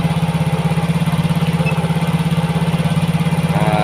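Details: Yamaha Mio GT fuel-injected scooter after new injector fitted (cleaning and filter change failed): fast, even idle around 1900–2000 rpm with steady drone; injection 1.0 ms, mixture trim -7 because CO/fuel setting is at 15%, holding idle high.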